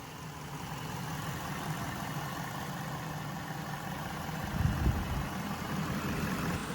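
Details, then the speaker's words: Rebuilt salvage Cadillac Deville idling with defrost working and no severe air issues in the cooling system: steady, even low rumble with no stumble, miss or knock. It is purring smoothly. "So everything's working fine there, and she's just purring away."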